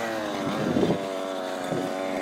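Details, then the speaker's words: Fifth-scale RC car two-stroke engine during tuning, high needle set about an eighth turn rich: uneven gurgling burble like it's under water instead of a clean buzz, meaning the mixture is too rich. "that gurgle sound in the car that's telling you that the car is rich serous sounds like it's under water"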